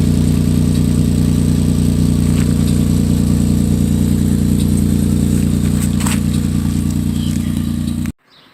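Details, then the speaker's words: 2006 Chevy Equinox before repair, old muffler (possibly original) broken off around the welds: loud, deep raspy drone, rough uneven rumble until shut off; exhaust leak, fixed by muffler replacement. "So, this is the old muffler. Look at that. That was our problem."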